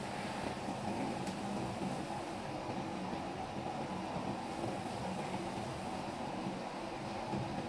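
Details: Front-load automatic washing machine in spin cycle: heavy constant rumble with rattling and knocking from excessive drum vibration, suggesting faulty vibration-absorbing components.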